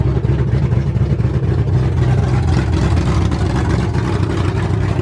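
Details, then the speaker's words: Ford F100 V8 with new aluminum heads, first start on open headers without a cooling system: loud deep lumpy open-header beat, no valvetrain ticking; sounded great, if obnoxiously loud. "i'm pretty stoked that sounded freaking rad with the the open headers went on i was a little obnoxious"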